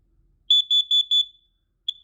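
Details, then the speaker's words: Fire alarm sounder under test: four short high-pitched beeps then one brief chirp, thin and fairly quiet; output weak. "oh there's Mr bear actually this one will work for me this one is not that loud"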